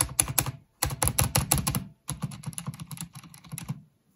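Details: Corsair K70 RGB Mk2 with Cherry MX Silent switches, after the spacebar rattle fix: fast bursts of soft, muffled keystrokes with dull thocks and no metallic spacebar rattle.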